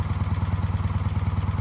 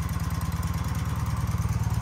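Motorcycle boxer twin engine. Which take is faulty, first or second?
first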